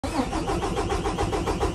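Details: PACCAR/Cummins/Detroit diesel engine hard start: rapid even starter cranking about six pulses per second without catching; common failure of the fuel water separator.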